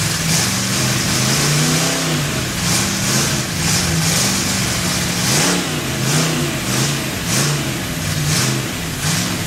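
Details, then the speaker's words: Freshly built Chevy 283 V8 first fire-up, unplugged vacuum port: surges and hunts, revs rising and falling every second or so with hissy intake noise; big vacuum leak, better with a hand over the carburetor. "I didn't ever plug off that vacuum that's why when you saw me putting my hand over the carburetor it sounded better it had such a big vacuum leak"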